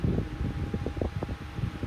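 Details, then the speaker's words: Vintage 14-inch Lakewood high-velocity fan (1999–2000) at startup: a thin, steady high whine over an uneven low flutter of blade and air; worn washers are suspected as the cause. "but it also has a wine to it in the startup sound that's unfortunate"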